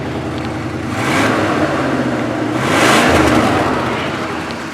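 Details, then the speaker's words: 1979 Chevrolet Caprice Aero Coupe after repairing a bad freeze plug, just started: engine swells through two clean revs and drops back, even with no misses, knocks or rattles; running smooth and leak-free. "yeah listen to her purr"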